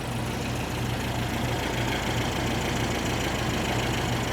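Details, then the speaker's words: 1973 VW Super Beetle 1760cc flat-four with dual 40s, after valve adjustment (No. 3 exhaust was very loose), warm; quiet, not too loud idle with faint valve train chatter typical of a VW; normal idle. "It's quiet. It's not too loud. Little valve train shatter, but nothing that's not Volkswagen."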